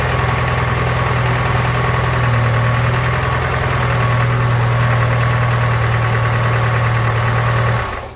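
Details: Ford-built M151A2 military jeep, 141.5 cubic inch engine, stored 20 years: loud run with heavy, uneven low knocking rattle after 10–15 seconds, from the bottom end, not valve train; cause unknown.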